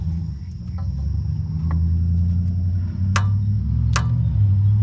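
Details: 1970 Opel sitting about 30 years, first start attempt: steady low starter drone with even cranking pulses about four a second but no firing; crank, no start, cause suspected, not confirmed.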